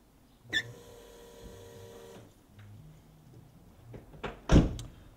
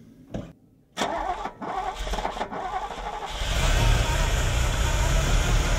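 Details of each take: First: Ferrari with K-Jetronic injection, key on and engine off: a faint steady electric hum for about two seconds as the fuel pumps run when they shouldn't, caused by a corroded switch contact; the fix is cleaning the contacts and packing them with grease. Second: Ferrari with K-Jetronic, start after cleaning and greasing fuel metering unit contacts and reassembly: brief crank, catches cleanly, builds smooth rising rev with no stumble or misfire; normal start and rev.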